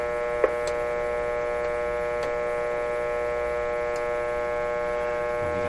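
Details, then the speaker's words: 1925 Magnavox Type D TRF radio running with weak performance: touching one side of the detector's grid leak resistor brings a loud, steady low hum from the speaker, showing the detector stage is alive. "so i'm touching one side of the grid leak resistor and you can hear a hump come out of that"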